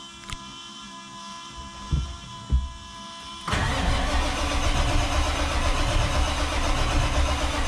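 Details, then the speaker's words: Diesel truck at its first start after a Stage 1 build with many new parts: steady cranking with even compression pulses but no firing. Fuel pressure holds at 55 with no leaks, and the expected cause is air still in the fuel system. "Okay, so that was expected because we threw so many new parts in the engine. There's still a lot of air."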